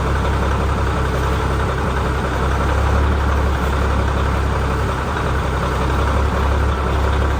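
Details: Ford L9000 heavy diesel truck after post-show repairs, new filters, new battery cables and new gear-reduction starter, two of four batteries low: settles into a smooth, even low rumble with no misses or knocks; a healthy idle.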